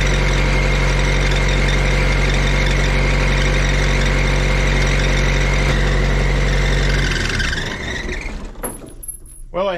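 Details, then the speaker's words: Auction-bought diesel welder that fell from a crane, after isolator mounts were shimmed and tightened: steady drone with a high thin squeal that bends up as the engine winds down; drive belt is quite loose and worn, slipping, to be tightened. "have no intention of keeping this unit but it does have the proper belt squeal all right the belt is pretty darn loose here as well as got some wear to it but it'll be fine for a while tighten it up get rid of that squeal"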